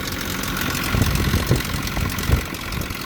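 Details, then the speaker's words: Snow-packed Nissan pickup with a blown head gasket started after a blizzard: lumpy, uneven idle with irregular low thumps and dropouts, running on two or three cylinders; timing chain also noisy. Misfire from the blown head gasket. "a nice sound isn't it i guess i'll let it warm up here a bit all right 2.3 cylinders came to life"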